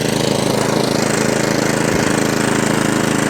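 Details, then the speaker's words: Atco Balmoral 17SK cylinder mower after fuel tap leak fix, first start in three days, off choke at full revs, grass box off: steady even engine beat with drive engaged, no grinding or bumping, no hunting or surging; healthy. "drive no grinding no bumping i love your machine but does exactly what it says on the tin"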